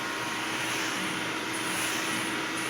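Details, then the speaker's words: Electrolux Olympia One vacuum with a new replacement hose, suction airflow relief opened: even, airy rushing whine holding steady, audibly different with the relief open; strong airflow, normal running. "A lot of airflow with this new hose. Really, really nice."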